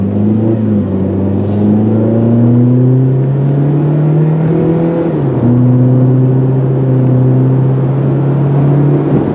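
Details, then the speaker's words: 2003 Saturn Ion 1 automatic on test drive: part-throttle acceleration to over 60 mph, engine note climbing smoothly, dropping cleanly at each upshift and climbing again. Normal acceleration and healthy automatic shifts. "I wasn't even full throttle and we're over 60 miles an hour. So as you can see, it does get up and go. It does seem pretty darn nice."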